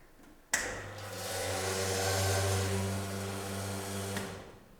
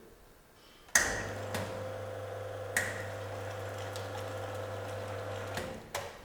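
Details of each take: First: Sanremo espresso machine with water supply turned off: pump clicks on and runs a harsh, coarse, abrasive buzz while solenoid and group head still engage; pump running dry. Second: Sanremo espresso machine with preinfusion during brewing: sharp click, steady pump hum, another click, then a final pair as the pump stops; normal preinfusion valve opening, closing and reopening.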